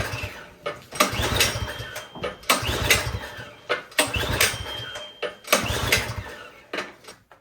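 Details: Troy-Bilt snowblower with gas and oil present, choke on and primer pressed: several recoil pulls about 1.5 seconds apart, the engine turns over but never catches. Spark was confirmed good.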